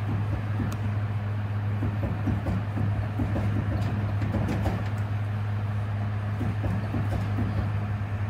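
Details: Hummer H3 SUV: steady low droning hum with scattered light clicks from a bad wheel bearing.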